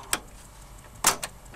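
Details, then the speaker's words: 1981 Technics M218 cassette deck soft-touch electronic mechanism, record button pressed with no tape playing: sharp click, louder clack, quick tick a second later, no grinding or whirring; always made this sound, mechanism engages normally and reliably. "it always made this sound I never once had a problem with its reliability"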